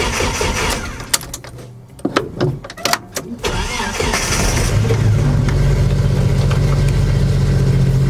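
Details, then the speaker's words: Project vehicle on an old dead battery restored with a cheap pulse charger's repair mode, reading 12.9 V after the surface charge was removed: a few seconds of steady cranking, then a clean start and even smooth idle. "all right cool so that actually started project fungus where I was thinking that battery was just beyond it was gone it was dead and this little guy it actually resurrected it"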